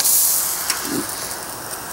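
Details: Ecotemp L5 propane tankless water heater for an off-grid cabin shower, regulator at minimum: steady, soft, even hiss of the gas flame with no popping or sputtering; the burner is lit and heating normally.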